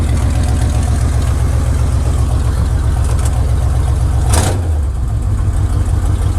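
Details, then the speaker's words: Once-abandoned Chevy C10 square body V8, just started, choke tube newly installed: uneven loping idle that wavers and dips, then kicks down, not yet smooth; owner suspects a hairline-cracked distributor cap and plans a new cap; motor mount looks shot. "Kicks down. It's not running as smooth as it should be, but we're getting a lot closer. Keep in mind, we just started it up."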